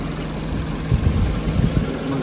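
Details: 2011 Peugeot 207 after fixing stalling, misfire and rough idle, cylinder 4 compression now 170 PSI: low, steady idle with a couple of brief bumps, then smooth and even while warming up to relearn idle; normal idle.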